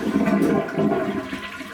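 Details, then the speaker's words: Toilet flush with a short gurgling rush of water that fades fast, lacking a strong swirl; the flush is weak and sometimes doesn't clear the bowl, heard while emptying the tank before resetting a rocking toilet with the water shut off. "see how weak that flush is when your boy takes a big old dump sometimes it don't all go down and that's got to change"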